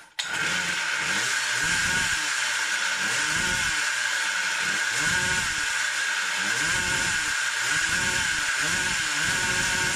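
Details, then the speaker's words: Samurai 40cc two-stroke engine: screaming revs in repeated bursts, each flattening out at about 10,000 rpm instead of climbing, the same limit as five years ago; cause unknown, advance set to maximum next. "it still is limited at about 10000rpm but before that sounds quite happy allright, so it still doesn't seem to take full revs it sounds like it has a limiter at same rpm as before as it had 5 years ago"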